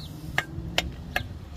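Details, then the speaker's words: 2003 Toyota Camry 3.0 with a metal-on-metal clunk when pulling away and turning; a removed lower control arm's ball joint worked by hand gives four sharp dry clicks from play. This side is quieter, the driver side is louder and the suspected fault. "Bueno, esta se escucha menos, pero igual se hace poquillo. Se escucha menos ruido. Esto no debe de sonar así, mire."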